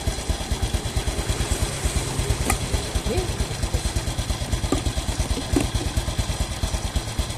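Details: Motorcycle single-cylinder engine warming up at idle just after changing the old blackened oil to Shell Advanced AX7 10W-40 synthetic-based: even putter about seven pulses a second, no knocks or rattles; smoother than before. Normal idle.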